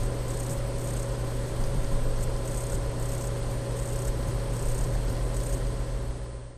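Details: Dell M65 notebook: faint high steady tone over a low hum from the underside, unchanging throughout; electronic whine, source not identified.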